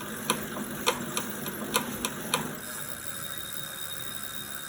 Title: 2018 wahoo kickr core clicking noise under load